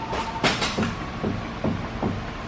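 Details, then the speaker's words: S2000 car wheel turned by hand is noticeably stiff and scrapes with a dull rub roughly every 0.4 seconds. This is the noise they were hunting, with binding at the hub or brake suspected but not confirmed. "See how stiff this wheel is? Mm-hmm. You hear that? Hear that? Yeah. Huh. Whoa. Wow. There's the noise."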